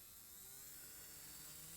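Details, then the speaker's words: Model locomotive with worm drive motor, run from about three volts up: faint smooth whir rising with voltage, no rattles or grinding; quiet, healthy motor. "and as you can hear that sounds reasonably good not too noisy they are quite quiet locos these they're not terribly loud runners"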